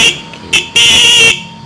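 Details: Used motorcycle horn, adjusting screw loosened and tightened to find the loudest point: two quick toots then a half-second blast, steady strong buzzy tone; the serviced used horn sounds loud and still usable.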